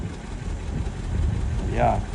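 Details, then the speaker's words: 1967 Lincoln at idle after exhaust leak repairs, crossover pipe clamp still to retighten: low soft rumble with no puffing or ticking; exhaust sounds sealed and quiet. "quiet I really like how quiet it is okay so I feel good about the exhaust"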